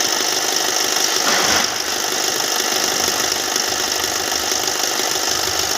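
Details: Hyundai Venue engine at idle: steady idle with a fast, light metallic rattle, about three or four beats a second; timing chain noise suspected but unconfirmed.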